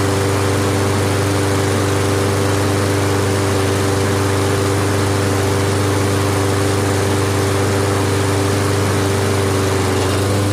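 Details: Toro Recycler mower with road traffic nearby: loud, steady single-cylinder drone at constant speed with no misses, knocks or rattles; running normally.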